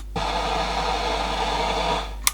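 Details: 1970s GMH AM car radio, likely HQ Holden, bench-tested with dodgy unsoldered wiring and no antenna: even hiss over faint mains hum, cut off by a click; working set picking up only static.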